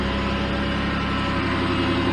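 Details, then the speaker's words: 2006 Chevy Impala, engine just reassembled and first start, check engine light on: steady, even idle with smooth low hum, no knocks, ticks or misses — normal idle. "all right so we do got a check engine light on but we're running"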